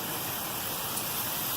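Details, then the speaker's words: Residential sprinkler zone after replacing broken risers (12-inch riser with a Rain Bird SST head), turned on at the anti-siphon valve solenoid: steady even hissing spray with no sputter, good pressure; the repaired heads work properly. "You can see the spray pattern. The rest of them are working properly."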